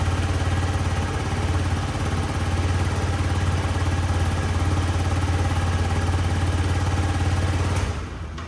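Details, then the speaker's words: Yamaha C3 50cc liquid-cooled four-stroke fuel-injected scooter after fuel pump replacement: smooth, even low putter at steady idle with no misses, knocks or rattles, then a clean shutoff; quiet, clean, running like new. "But I'm very happy that it fires and it sounds so good. It is quiet, it's clean, it is running the exact way very like new Yamaha C3 with that 50cc liquid cooled 4-stroke fuel injected beast should run."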